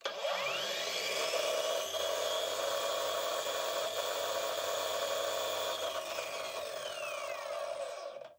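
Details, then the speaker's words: Parkside Performance PWSAP 40-Li A1 40 V cordless angle grinder at about 5700 rpm, no load: loud high-pitched whine, almost 110 dB, with a harsh rattle fading on spin-down; rattling angle gears also vibrate the whole tool. "le bruit est extrême, presque 110 db. Ceci est causé par l'engrenage d'angle de cliquetis qui provoque également des vibrations de l'ensemble de l'appareil."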